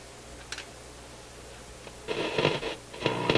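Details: Motorola MK 56-H five-tube radio on light-bulb restricted power after soldering new filter capacitors; quiet hum then irregular sharp crackle bursts cutting in and out; owner suspects board flexing cracked a trace.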